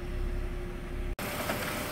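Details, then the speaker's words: Car at idle, heard at exhaust muffler with paper held to it: deep, uneven idle pulsing strong then weak, rough from a vacuum leak; purge control solenoid valve hose disconnected, likely knocked off by air-gun engine bay cleaning. "좀 많이 바람이 나왔다가 배기가스가 많이 나왔다, 적게 나왔다 그러네요. 부르릉 부르릉 들리시죠? 부르릉 부르릉."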